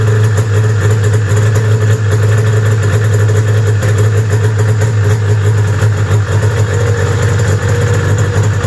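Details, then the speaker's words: 1995 Arctic Cat ZR700 snowmobile at about 1700 rpm with hand warmers switched to high after a replacement was installed: low drone turns to uneven puttering, as if running on one cylinder; owner suspects wiring, not confirmed. "it all right so it didn't change because i switched the high setting on for the hand warmers and it started putting again like i was running wanting to run a one cylinder"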